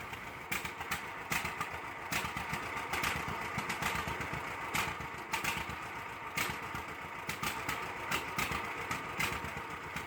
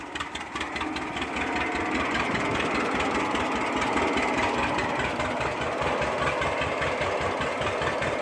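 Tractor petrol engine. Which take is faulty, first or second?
first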